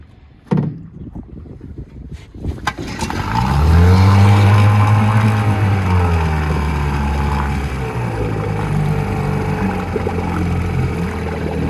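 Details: 1956 Johnson 7.5hp AD-10M outboard, fuel pump conversion, after sitting 4–5 years and a week's trouble-free use: a few pulls, catches, revs up, then settles into steady, even two-stroke buzz; runs healthy.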